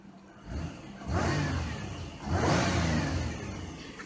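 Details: 1997 Buick Regal GS, new plugs and wires, cleaned MAF and IAC, warm; two clean throttle blips climbing smoothly and settling without stumble; idler pulley noise noted, otherwise runs smooth.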